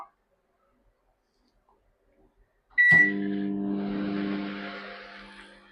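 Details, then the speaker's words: Microwave running after a capacitor fault was repaired: a short beep, then a steady low hum with slight vibration and soft fan rush, showing it is heating normally. "ചെറിയൊരു vibration ഒരു കിരീകിരി പോലത്തെ ഒരു sound ആ sound കേൾക്കുന്നുണ്ടെങ്കിൽ microwave വർക്കിം ആണ്"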